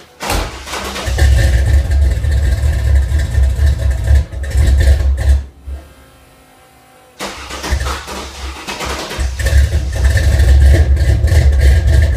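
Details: Engine cranks twice at length with a pause between; the starter churns evenly but the engine never catches or runs. Crank, no start.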